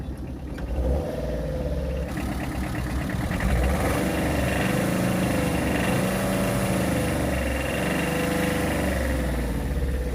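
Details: Second-hand Tata Ace EX started for a demonstration. It catches after a brief crank and settles into a steady, even diesel clatter with no misses or knocks. The seller says the engine is completely fine, a sound idle.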